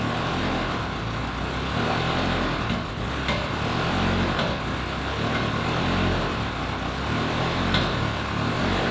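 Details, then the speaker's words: Ferrari 360 Spider V8, unrun 2 years, lumpy uneven idle with irregular stumble and ragged exhaust beat under light throttle; engine management light flashing, strong fuel smell without leaks; owner suspects not running on all cylinders, possibly one bank. "I'm giving it some gas, but the engine management light is flashing and I don't think it's running on all cylinders."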